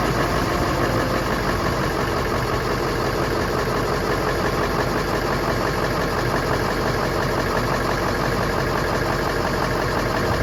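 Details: Ford Super Duty 7.3L diesel, first start after rebuilding the oil cooler and refilling oil and coolant: the engine settles into a steady, even idle rumble with no obvious knock or miss.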